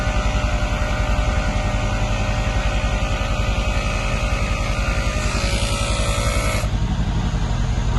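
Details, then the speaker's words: 2015 Mercedes-Benz E63 AMG W212 twin-turbo V8 after air suspension pump replacement: the refitted compressor runs with a steady, quick pulsing hum, no knocking or strain, as the vehicle rises; normal operation. "plugged in pumps plugged in here and now the vehicle should raise as you can hear the pump is running and the vehicle is rising"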